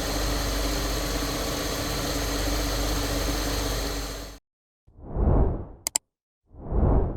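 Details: Saab 9-3 Turbo after service and fix for a very slight misfire, camera on top of engine: steady, even idle with smooth hum and no stumbles or misses; engine running clean.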